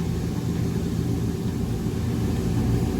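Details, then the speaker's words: Trane Voyager rooftop HVAC unit on 460 V, drawing about 6.3 A, with a rough, steady low rumble and uneven gritty churn; first suspected motor, but the idler pulley bearing is failing and visibly moving, pulley cracked, replaced. Finding: failing idler pulley bearing. "but that's your idler pulley it's the bearing failing if you can see that slight movement"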